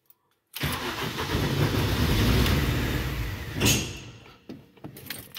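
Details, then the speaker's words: Mini with recurring hard cold starts, after rechecking coil and sensor wiring: starter spins steadily about four turns a second for three seconds but engine never catches; crank no start, cause not found, owner fears something was broken during testing. "ok donc elle veut pas"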